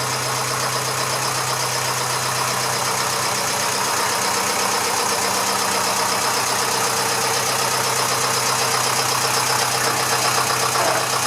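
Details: Massey Ferguson 35 (835) tractor with Standard 23C diesel, first run in at least a year: even idle clatter at about four beats a second with no misses or heavy knock. It runs well with some blow-by expected for its age.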